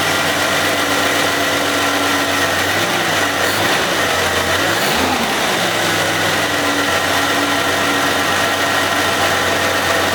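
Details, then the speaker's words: 1990 Jeep Cherokee XJ idling after being revived from no-fuel no-start, oil pump suspected: thin constant whine from front of engine, possibly a pulley bearing, unconfirmed; injectors also leaking onto exhaust. "so it doesn't sound great and there's still a little bit of a whine from the front it sounds like maybe it could be one of the bearings on one of the pulley"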